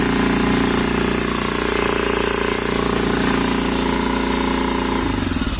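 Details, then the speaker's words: Quad single-cylinder engine just started cold: loud fast chatter held at high revs, uneven and lumpy firing; idle too high and running rough, cause unknown to owner. "Parce que là, il tourne mal. Je sais pas pourquoi. Il est haut dans les régimes comme ça."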